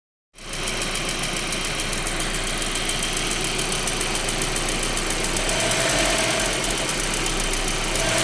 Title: 1.8t ticking noise. Part 1